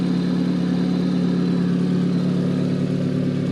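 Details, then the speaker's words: Car engine, cold, just repaired after running rough, misfiring and smoking. It holds a smooth, even idle with a steady low hum and no misses or knocks. Normal idle, with no smoke seen. "got a smooth idle that's good that's real good"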